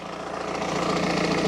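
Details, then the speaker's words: BMW E46 idling after fuel filter replacement, heard from underneath: busy, tinny buzzing rattle under the engine note; exhaust sits very close to the undershield, owner suspects the downpipe flexi has failed or is failing. "the exhaust is so close to the undershield so i think the downpipe the flexi has either completely failed or it is on its way um you know to being completely failed"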